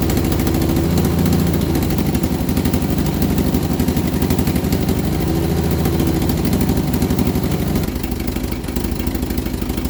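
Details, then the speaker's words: Vauxhall Viva HC during rebuild, first start after refit with temporary fuel supply and lead additive: rough idle with metallic clatter on each engine beat; owner suspects a slipped gearbox guard plate, belt removed to rule out alternator and water pump. "right i took the belt off to eliminate the alternator and the water pump for that noise i've got a new water pump i'm sure both of the noises coming from like a guard plate that's in the gearbox"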